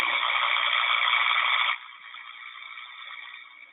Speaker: so we can also use it for our electrical inspections to identify things like tracking and arcing and Carolla I'll play this sound real quick so you guys can hear it